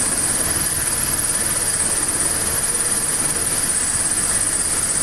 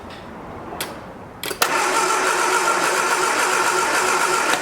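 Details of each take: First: 1979 Triumph Spitfire small four-cylinder, revived after 20 years sitting and tapping a sticking carburetor, idling smoothly and quietly with light hiss, no misses or knocks; normal idle. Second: 1979 Triumph Spitfire with electronic ignition that sat about 20 years: a few clicks, then the starter churns steadily near 220 beats a minute but the engine never fires; a spark is seen at the test plug.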